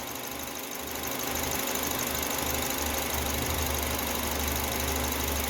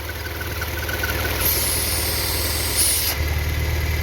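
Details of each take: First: Citroën C4 2.0 on gasoline after belt installation, not fully warmed (88°C), manifold pressure 250: steady idle hum with even firing and faint high hiss from injectors, considered normal, no misses or knocks; normal idle. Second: Citroën C4 2.0 EW10 engine: faint airy vacuum hiss, seeming to come from between engine and gearbox, louder on acceleration, stopping when the valve cover is touched; ruptured PCV diaphragm in the valve cover leaking vacuum.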